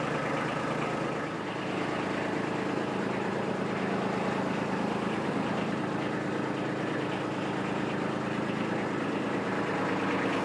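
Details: Kubota B2601 diesel tractor at 50 hours, after its 50-hour service with oil and filters changed, running while the hydraulics are cycled: an even chug at about three beats a second, steady and smooth with no knocks; healthy.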